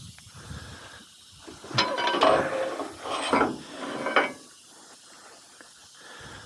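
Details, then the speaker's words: Delivery truck with air ride suspension, parked in the rain after getting unstuck: a few seconds of soft airy hissing that swells and fades as the air ride levels itself out normally. "the air ride leveling itself out."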